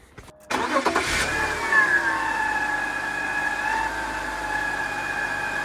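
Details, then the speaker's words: BMW E39 Touring awaiting LS swap, restarted after oiling top idler pulley: fast idle with steady high chirp unchanged; owner now suspects bottom idler or power steering pump, unconfirmed. "that didn't help at all maybe it's the bottom one maybe it's power steering"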